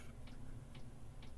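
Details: Diesel air heater newly installed under the bed of an ambulance camper conversion, restarted after fuel lines were empty: faint sharp ticks about every half second over a low hum. The dosing pump is priming; combustion then started and it ran.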